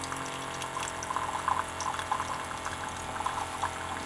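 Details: Keurig coffee maker after repair and circuit modification, brewing: soft, even pump hum with light splashing as water pours, no straining or rattling; pump running normally.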